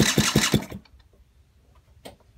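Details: Honda motorcycle sat 35 years, running poorly: engine catches with a few quick uneven pops under a second, then dies; rough running, stalls after start, cause suspected, not confirmed.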